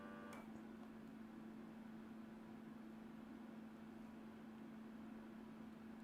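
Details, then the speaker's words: PCB reflow oven during cool-down: a steady low hum with a soft, airy hiss that stays even throughout, the cooling fan running normally. "okay I hear the oven cooling down so I think we're almost ready for the next board"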